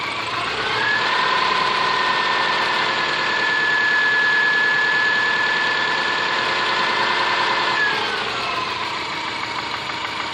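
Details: Subaru Forester SG5 with EJ25 engine at idle: fast regular tapping, about four per second, over engine note; engine knock, cause not yet clear.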